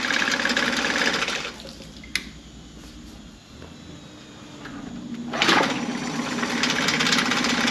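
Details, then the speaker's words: 2011 Mercury 9.9 four-stroke long-shaft manual-start outboard, serviced (carb kit, water pump, plugs, fuel filter, oil), warm restart after running over 15 minutes in a test tank: runs, drops away briefly, then catches straight back and settles into an even steady run; healthy. "it fires up right back up"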